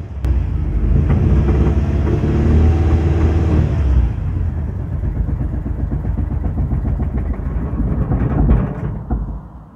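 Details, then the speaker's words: Ford Mondeo Mk3 with P0301/P0304 codes, after replacing carbon-fouled spark plugs, in neutral: it misfires at idle, lumping and shaking, then sags and nearly stalls. No check-engine light and no codes afterwards. "it sounds awful but curiously there's no check engine light that's definitely misfiring yeah and it's cut out let's try again ready will it idle come"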